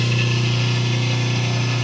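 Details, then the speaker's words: 5 hp three-phase motor on 220 V single phase with only a start capacitor, released after start: loud steady low electrical hum over a strained running tone; unbalanced, would overheat within half an hour, lacks power and may trip breaker. "I disconnected it, and the engine apparently would be working fine The problem with this situation is that this engine in half an hour of being working like this, it's going to get pretty hot apart you don't have the strength"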